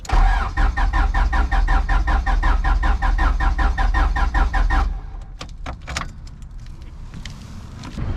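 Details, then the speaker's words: Turbo H2B Honda after coil-on-plug conversion, jumped battery: starter churns at about 2.5 beats a second for five seconds but never fires despite fuel pressure building. "i'll show you guys exactly what it's doing just cranks and"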